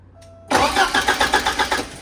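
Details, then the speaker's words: 1985 Porsche 944 after front engine seal rebuild, fuel system disconnected: even, strong cranking about seven compressions a second with no firing; healthy cranking, no start for lack of fuel. "Sounds like he wants to go too. It does. Realistically, all she needs is some starting fluid."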